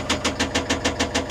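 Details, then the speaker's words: CAT 950M wheel loader diesel bought with a knocking engine, during injector solenoid cylinder cutout test: even pulses about six or seven a second stay unchanged when cylinder five is cut out; cylinder five dead, cylinder three suspected rod knock. "See, there's no change. Now, watch when it cuts back in. You didn't hear anything change. So, cylinder five ain't doing nothing."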